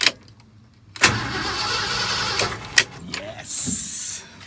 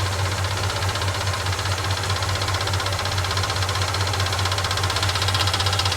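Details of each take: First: 1969 Ford F100 Ranger after replacing the starter switch, first start in years: short cranking bursts, then the engine catches with a loud rush and settles, starting properly. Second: 1969 Ford F100 Ranger first start in years, idling with a loose, uneven ticking clatter from the mechanical fuel pump, judged too loud and not working right; factory-style replacement ordered; noisy mechanical fuel pump.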